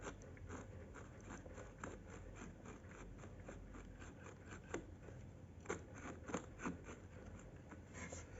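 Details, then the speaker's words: Sony TC-560 tape deck DC motor running normally makes quiet, irregular gritty crackling and scraping over the soft running hum; the motor was to be taken out. "you can listen to it it is heard while uh working normally you hear this grinding noise and uh so I will have to take it out and see what's wrong with it if it is possible to be fixed"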